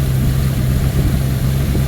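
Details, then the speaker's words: 1979 Ford Thunderbird after fuel system rebuild (new fuel pump, filter, rubber lines, sending unit), running on its own: low, steady idle with an even beat and no misses, knocks or ticks; smooth and healthy. "we replaced the sending unit and now she's running on her own and she sounds healthy listen to this Lena wants to live"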